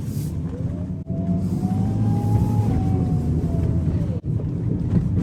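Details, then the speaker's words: BMW N54-swapped E91 wagon, rear turbo suspected blown after replacement outlet coupler slipped off on launch, turbo overspun, destroying oil seal; whistle climbing and falling under load, blue/white smoke after a pull. Abnormal turbo noise. "so um it sounded like the turbo's blown see listen"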